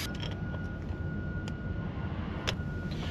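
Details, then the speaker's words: Truck cab while driving after fixing an annoying dashboard noise, possibly linked to an air leak; steady low road and engine drone, no rattle or buzz from the dash now; noise gone. "the noise is gone I'm really good at this"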